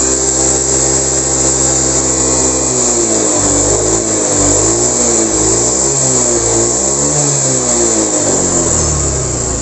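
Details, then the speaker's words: Honda Beat ESP scooter seized after repeatedly running out of oil, freed without engine teardown: revs rise and fall unevenly with rough wavering note; mechanic believes connecting rod damaged, possibly piston or roller bearing. "kali suaranya kasar bisa dari sehernya ya Setang Seher juga bisa dari apa namanya ee itu ya guys rumah loler ya"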